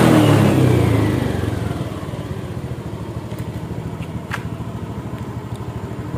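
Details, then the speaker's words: Honda Beat scooter after replacing the throttle body/TPS sensor for a stumble: it revs up cleanly and settles to a steady idle. The injection warning light no longer blinks, so it is running normally. "teman-teman aman ya teman-teman di sini enggak ada indikator injeksinya 4 tidak berkedip"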